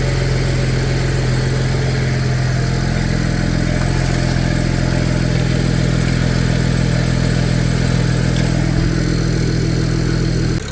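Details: BMW 335i N54 twin-turbo six after RB twin turbo install and turbo feed line oil leak fix: smooth deep idle steady for ten seconds, no ticking, misfire or whistle; normal idle.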